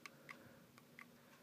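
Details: 2004 Build-A-Bear Rudolph plush voice recorder with all four batteries replaced: sharp, dry, uneven clicks, about two a second, and no playback. The module does not work.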